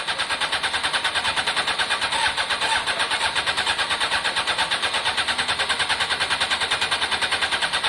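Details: Honda CBR600 F4i non-runner, accident-damaged, after injector cleaning with cleaner and fresh fuel: rapid starter churning, about three beats a second, never catches; cranks but won't start. Owner hears no fuel pump prime and suspects fuel delivery.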